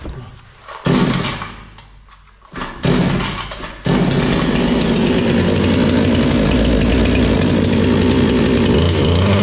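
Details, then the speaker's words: Bolat 5820 chainsaw pulled over a few times: catches, runs a while, then sags and stalls right away; it ran normally again after cleaning. "Evet motor hemen stop etti Bir bakalım Neyi varmış"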